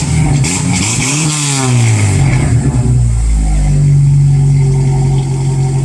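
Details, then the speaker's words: Exhaust after repair with new simple clamps, welded Walker pipes and TotalFlow muffler, revved outside: strong deep note rising and falling cleanly with revs, no ticking, puffing or rattles; sealed, healthy exhaust. "Sounds pretty damn good."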